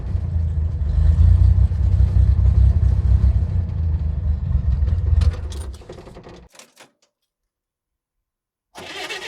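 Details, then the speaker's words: 1964 Chevrolet Corvair Monza Spyder, 164 cu in 150 hp turbocharged air-cooled flat-six, straight pipe from turbo with no muffler: loud lumpy open-exhaust burble that fades and cuts out; carburetor running rich, to be taken apart. "g a little bit of issue with the carburetor right now it's running kind of rich and at certain points it just it gets very it cuts out a bit"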